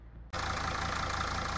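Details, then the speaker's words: Mercedes 2.7 OM612 diesel after DIY repair of an intake-side knock and a stripped injector thread, injector reinstalled; catches and settles to an even smooth idle clatter with no tapping or knock. Normal, pleasant sound. "это работает. Сейчас всё работает именно так. Обычный, приятный звук."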